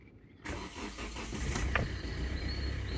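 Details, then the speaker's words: Kia Rio 1.5 GS MK2 diesel cold start: brief crank, fires and settles into a low knocking, tractor-like idle with steady tapping; blue light on, thought to be because cold; normal. "go for a start and yeah well the intense diesel can't you that's the thing it starts and sounds like a tractor but it's a diesel"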